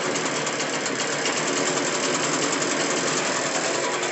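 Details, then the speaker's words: Echo PB580-T backpack blower, two-stroke, after repair with throttle from another Echo model and a different carburetor, air filter on, outdoor test: high steady buzz, even note, no stumbling or surging; runs clean and healthy. "Okay. So, all the test runs came out good."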